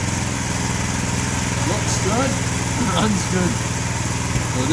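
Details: New 212cc Predator engine repowering a homemade log splitter (replacing a 5hp Tecumseh): steady, even run at high throttle with no misses, knocks or surging; repower judged successful. Normal running.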